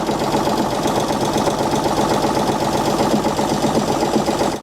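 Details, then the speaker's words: 1948 Chevy engine abandoned 58 years, first runs after revival, no oil seen reaching the top end: rough idle with a dull, regular knock about two to three beats a second; owners unsure if it is a rod knock. "I don't know if that's a rod knocking or"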